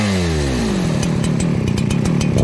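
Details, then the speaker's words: Farmertec 288xp kit chainsaw at first start while breaking in, idle turned up a little during tuning: a buzzy two-stroke note falls smoothly from high revs into a steady, even run, with clean throttle response. "it's loading up time to tune it i'm gonna give this thing just a little more idle friends [Applause] but listen to it fred it throttles up really nice"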